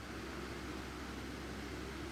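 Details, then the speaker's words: Maspion fan, serviced after running slowly and then dying completely, now reassembled and running on speed 3: a steady, even hum with a smooth airy rush and no rattle or scrape; the swing turns and reverses by itself normally, and the motor runs cleanly. "Nah, sudah berputar, kita tunggu apakah bisa balik atau bagaimana swingnya. Nah jadi sudah bisa balik sendiri normal."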